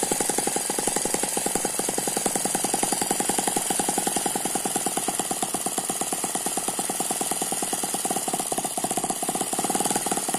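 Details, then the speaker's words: Eachine ET9 (M15) mini gasoline engine, single cylinder with twin spinning counterbalances, on a tarpaulin: fast even firing beats with faint turbo-like gear whine, very smooth: normal running. "that's a very smooth running engine it does not dance around the main vibration here is because it's on top of this this tarpaulin you can hear that gear noise it sounds a little bit like a turbo"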